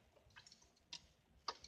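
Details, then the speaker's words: 1998 Eclipse GS, manual, won't start after being parked over a week: with lights and dash normal and clutch in, each key turn gives only faint sharp clicks from the starter relay and no cranking. Cause not confirmed. "when I turn a key on all the lights goes on right just like normal and when I crank it this is what I hear a"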